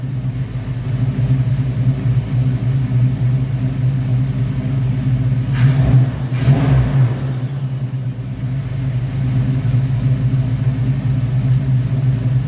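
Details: V8 first start after rebuilding a 1969 Corvette's Rochester Quadrajet carburetor 7029202 (ethanol-damaged fuel bowl cleaned), freezing cold day: steady low rumble holding one speed with a brief disturbance midway; fires up and idles smoothly.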